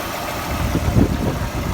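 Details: VAZ 21124 16V engine at idle: uneven, dull knocking mixed into the low rumble; knock sounds the same cold and hot, owner can't identify the source; engine knock.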